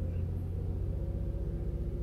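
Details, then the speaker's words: Toyota Avalon after a cold-start cylinder 1 misfire repair: a steady, even low hum held at about 2000 rpm with no stumbles or skips (idle about 800 rpm); the engine now runs clean and the problem is solved. "So ngayon okay na 2000 RPM. So ro-road test ko na lang. So reverse. So wala man lang ano walang kapalag-palag yung makina."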